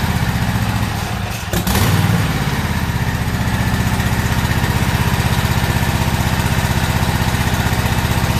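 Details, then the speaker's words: Toro zero-turn riding mower, about a year old, in for a no-start, run outside after adding gas, old spark plugs left in: uneven, lumpy beat at steady throttle, about four pulses a second, stumbling; suspected skipping, not confirmed. "so still doesn't sound right to me I think it may be still skipping or something's going on"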